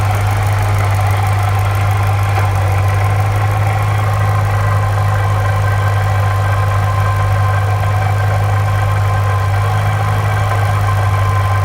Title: Saleen supercharger rattling noise